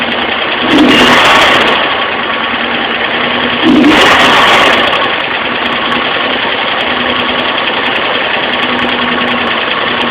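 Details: Alfa Romeo Spider petrol engine idling with light fast top-end tick, blipped twice to higher revs before settling; suspected valve lifter tick, vacuum readings taken, not confirmed.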